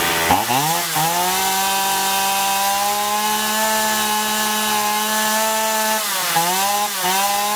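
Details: Chainsaw that surged and lacked power, after carburetor cleaning with both L and H screws set one and a half turns out from seated; revs up cleanly to a high steady scream through the cut, picking up again without bogging: running properly.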